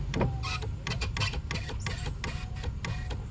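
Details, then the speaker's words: Mercedes 300SL R129 with repaired roof control module, driver's window up/down and automatic: sharp irregular relay clicks over low motor hum as window travels; normal relay switching. "hear it clicking down and that's automatic shut down okay perfectly fine roof operation"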